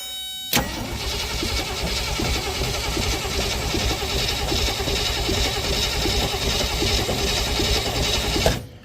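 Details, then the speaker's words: Willys CJ5 (around 1971) with AMC 304, sat for years, cranked via Power Probe, ignition coil not yet fitted: starter churns steadily about eight seconds, never fires; oil present but dirty. "we have crank and yes I did check to make sure it's got oil in it"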